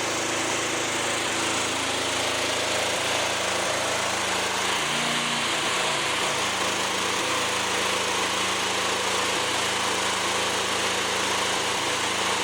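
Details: Fairly new lawnmower run with the mower deck off after checks: steady running with brief dips, one clear bog near five seconds; intermittent misfire, choke clears it, owner suspects a fuel problem.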